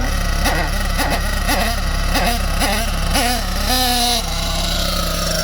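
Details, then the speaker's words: Nitro RC engine blipped from standstill: the pitch sags and stumbles before catching each time. This is lean-mixture hesitation, not rich bogging, and the needle needs richening. "If it's lean, and it does that noise, as I'm just about to show you, that's not bogging, that's just hesitation. That sound, that's not bogging, that's hesitation because it's too lean."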